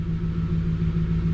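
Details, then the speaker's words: 1999 Infiniti Q45 (Y33, VH41DE V8), 190,000+ miles, after throttle body cleaning for a rough, jittery idle: low, steady V8 rumble in gear, even beat with no shudder or hunting; rpm back to normal. "she's not shaking anymore my rpms are back to normal"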